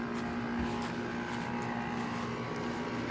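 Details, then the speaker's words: 2018 Goodman air conditioner condenser: soft, steady hum with faint even tone, no knocks or rattles; really quiet, sounds like a Carrier, fan bearing seems good. "well and this goodman sounds like a the carrier it's really quiet"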